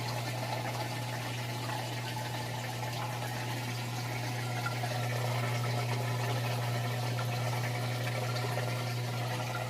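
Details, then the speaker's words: LG high-efficiency top-load washer draining while spinning: steady low motor hum, water rushing through the pump, smooth even spin; normal drain and spin. "s spinning as its draining out the water and that sounds like it's doing a real good job the drain works perfectly I like to see that sometimes they don't spin they'll just sit there and drain drain drain and then start to spend"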